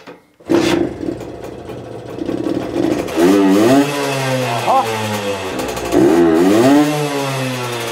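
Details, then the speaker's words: Herkules Prior K50 moped, 50S 5-speed two-stroke at original displacement, tuned, 114 main jet, tested at full throttle: revs climb, then sag and stumble into a big hole before picking up, a lean flat spot, the jet too small as feared. "man hat gesehen vorher Vollgas jetzt Vollgas es enormes Loch immer noch aber nach dem Loch hter"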